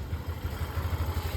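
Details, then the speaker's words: Yamaha NMAX version 2 after repair: even, steady idle thumping with no tapping or rattle; only the tensioner replaced, plus CKP sensor and wiring done for a check-engine light. "Tunog motor na ulit. Basic lang mga boss. Isang pyesa lang yung pinalitan namin dyan."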